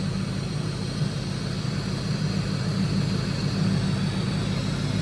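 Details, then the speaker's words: Ford Lightning SVT supercharged V8, cold idle about 5 minutes after supercharger work: steady low idle with soft airy intake suction hiss, no grinding from the blower, no leaks, intercooler pump flowing; normal. "There's no noise coming from the blower, so I was worried about that. I was thinking, I don't know, my first time messing with a blower, so I didn't know if I messed something up. But no grinding. You can hear the intake sucking."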